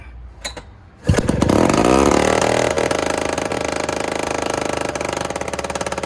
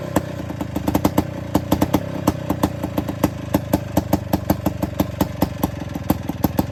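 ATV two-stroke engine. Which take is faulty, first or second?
first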